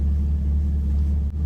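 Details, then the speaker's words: Chevrolet Camaro with AEM cold air intake idling after repair of a crank-no-start caused by the MAF harness rubbing on the power steering pulley and shorting a fuse. Deep, even rumble holding steady, no longer cutting out; normal idle. "It didn't cut out again, so that's a good sign."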